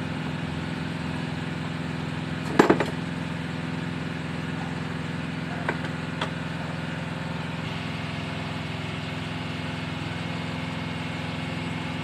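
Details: Mitsubishi L300 petrol that only clicked when cranking despite several starter services, now fitted with a starter relay wired from the battery: engine catches and settles into a steady even idle, a couple of brief clunks early; starts and runs properly.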